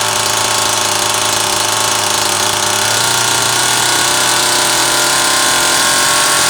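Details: Zama C2002 carburetor from a McCulloch Pro Mac 800, tested on a 54cc engine with different linkage and no idle screw, so it won't idle; needles turned in about half a turn; high steady two-stroke buzz without sag or surging; running fine.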